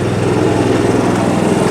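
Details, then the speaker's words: Newly installed RV generator on a 1976 GMC Motorhome, heard outside with its exhaust running; steady, even hum with no knocks, misses or rattles, really quiet: normal running. "you come outside it's really quiet now i have the exhaust running"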